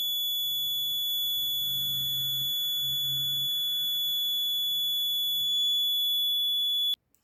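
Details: Maxwell's inductance bridge trainer kit, determining an unknown inductance: the detector gives a steady, unwavering high-pitched tone for about seven seconds, then cuts off abruptly; the bridge is still unbalanced.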